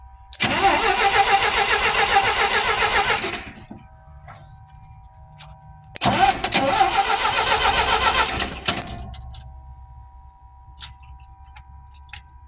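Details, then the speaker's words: Old GMC C5500 heavy truck engine with a freshly rebuilt Stromberg WWC carburetor, after sitting for years: two bursts of quick, even firing that catch and then fade; starts readily, nothing abnormal heard. "she runs she absolutely runs"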